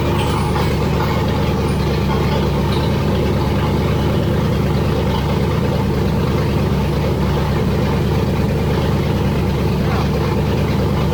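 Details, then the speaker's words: Freshly rebuilt engine with forged pistons and rods, 10.3:1 compression, Isky lifters, first start with good oil pressure: loud, steady, deep drone with no knocks or ticks — normal running. "Sounds like it's running. It's pretty loud."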